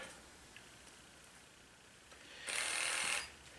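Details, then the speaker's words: Simplehuman hand soap dispenser after battery replacement repair, case reassembled; short high-pitched pump motor buzz in quiet room after pressing button, light turns red, pump running normally again. "And so, yeah, so you can hear it's trying to. So I pressed the button and now it went red, so hopefully it's going to quietly turn off there."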